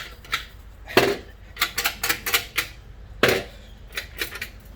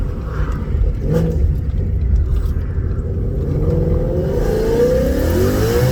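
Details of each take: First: 2019 Vortech-supercharged Mustang, removed stock resonator shaken by hand; irregular tinny metallic clatter from the internal baffles, destroyed by the decel pops of a burble tune. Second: Vortech V3 supercharged 2019 Mustang, thought to make about 750-770 wheel hp at 10 psi, with stock cat-back, suitcase delete and MBRP X-pipe, heard from inside while merging at 90 mph: deep steady drone climbing smoothly, no rasp or rattle; healthy exhaust.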